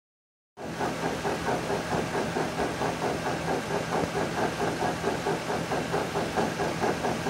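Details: 2011 Nissan Xterra with a failed rear axle bearing in its M226 axle: a low steady hum with a rough, throbbing growl pulsing about twice a second.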